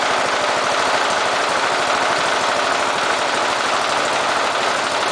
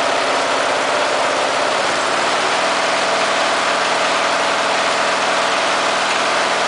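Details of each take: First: Briggs and Stratton engine fitted with an oxygen sensor, running a lean mixture at low idle: quick, uneven beat that stumbles and misses occasionally; engine prefers a slightly rich mixture. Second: Briggs and Stratton engine fitted with an oxygen sensor, at low idle after richening the mixture: steady, even idle with no stumbling or hunting; runs smoothly since it prefers rich.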